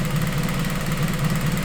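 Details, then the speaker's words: Acura RSX after conversion to return-style fuel system with cutter-style fittings, first startup: steady even low idle, no misses or knocks, no leaks, fuel pressure just under 45, AFR around 14.7; normal idle. "Sounds like she's doing alright. Make sure there's no leaks. I don't see nothing leaking."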